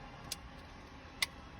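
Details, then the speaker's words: BMW Z4 with intermittent instrument cluster failure (no speedo, revs or lights); K-bus, power and ground tested fine. Reconnecting the cluster connector gives two faint sharp electrical ticks; suspected cracked solder joint on the cluster board causing power loss. "there's a little bit of interference. You hear that noise? That's what's actually happening."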